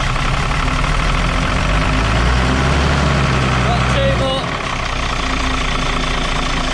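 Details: Dart bus diesel after running out of fuel, started once the bled fuel unions were retightened against air: fires and holds a steady, even idle clatter with no misfire or hunting; running normally.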